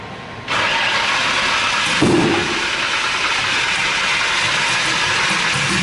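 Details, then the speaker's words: RB26-swapped Subaru WRX after oil cooler and filter relocation, on new battery: cranks, catches, then idles unevenly with hissy sagging note and dies; owner suspects tune, air-fuel ratio target needs lowering. "all righty ah then I go dying I don't know why"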